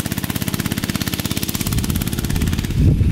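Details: Barn-find minibike's small single-cylinder engine, sat 20-25 years, after lubing a squealing shaft: putters at a steady rapid beat, then revs smoothly with no squeal; oiling the shaft got rid of the metal-on-metal squeal.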